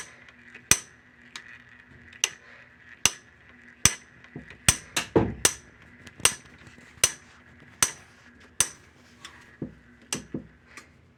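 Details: Whirlpool/Maytag/Kenmore-type top-load washer: sharp repeated clicks more than once a second from a broken shift actuator (W10006355); fix is replacing the actuator together with the splutch cam kit.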